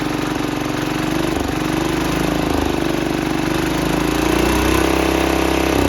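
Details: 1968 Sears Suburban 12 diesel with a new exhaust and a small air filter, fuel leak zip-tied: steady, very loud, harsh chugging, excessively loud intake and exhaust.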